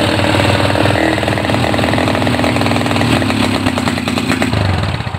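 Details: Honda GL Neotech motorcycle that falters when throttle is raised, fuel-hungry with black plugs: idling single stumbles with uneven skipping beats; still misfiring after new plug, CDI and pulser suspected, unconfirmed.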